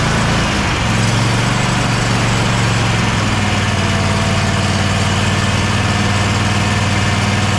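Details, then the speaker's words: Bad Boy zero-turn mower with Kohler 7000 series KT745-3013 twin, after ignition coil replacement: steady, even drone at constant speed with no misses, running smoothly; it ran about half an hour fine with the blade engaged. "so we figured out the issue the ignition coil definitely needed replace we are going to go ahead and replace the wiring harness it's a few days away though we're going to put this back after running it for about half an hour everything worked perfect blade still engaged"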